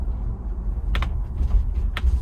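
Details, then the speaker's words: 2021 Ford Bronco First Edition, factory optional mold-in-color hardtop never removed: sharp pops roughly once a second from the roof over low road rumble inside the moving SUV, annoying roof hardtop popping and creaking. "g about is this annoying squeaking and creaking sound that's coming from the roof. What kind of top is this, Tommy? Well, this is the MIC top, that stands for mold in color, and it's the hard top that is optional on the Bronco."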